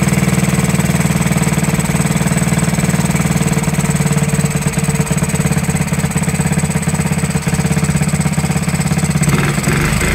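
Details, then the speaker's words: 1969–70 Honda Z50 after 35 years, ticks over evenly at a steady low beat without stumbling, popping or surging; clean settled idle, points and carburetor never cleaned. "there you have it running after 35 years first like a kitten didn't even have to clean the points or the carburetor amazing no"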